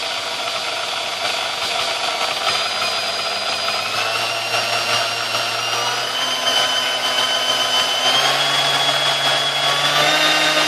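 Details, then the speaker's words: Sunbeam Mixmaster 1-8B after service: oil wick spots packed with oiled wool felt and bad resistor replaced; smooth, steady motor whine climbing cleanly through all speeds, no rattle or grinding; normal running. "all right as you taught I run smooth through all the gears and it's ready to go"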